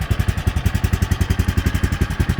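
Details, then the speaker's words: 2003 Bombardier Traxter 500 Max single-cylinder ATV after a cold start with choke, parking brake locked: even, steady thumping with no knocks or misses, no smoke or leaks; runs really well, healthy idle. "See, there's no smoke. This has no smoke, no leaks. Runs really well."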